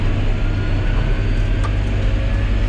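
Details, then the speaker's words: John Deere 6210R tractor after transmission calibration, turning under light throttle: deep, steady diesel drone with no clunks or jerks, transmission running smoother than ever. "See how smooth she goes. Got some throttle to her. Oh God, this is smoother than it's been ever."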